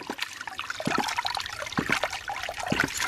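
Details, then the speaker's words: 2-inch Agri Papa ram pump after extending the drive pipe 40 feet for about two more feet of drop: splashy gurgling with a sharp clack and surge about once a second, self-sustaining; the pump now cycles properly. "now obviously there's a lot less water okay let me get this more upright hey it's bouncing on its own"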